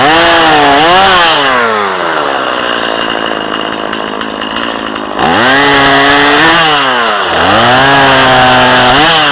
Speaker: This is a perfect little lemon saw. You can just fly through there.